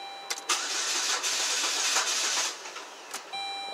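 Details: 2007 Saturn Ion 2.4 Ecotec with intermittent crank no start and code P0336: starter cranks at even speed but the engine never catches; faulty crankshaft position sensor giving mixed signals, not the starter.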